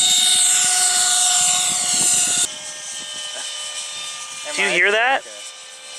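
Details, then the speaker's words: RC CRJ-200 twin electric jet in flight: high motor whine suddenly drops in pitch and level partway through, as if one motor is slowing down; suspected running on one motor. "like one of your Motors is slowing down"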